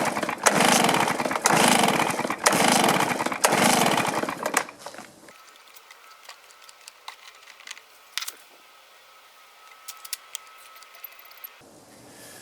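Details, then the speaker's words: Stihl BR450 backpack blower two-stroke, dies after running: surges about once a second then sags and dies; not pulling fuel though return is heard in tank, fuel tank vent suspected; fuel starvation. "for some reason it's not pulling fuel I can hear the return in the tank but we're not pulling fuel anymore"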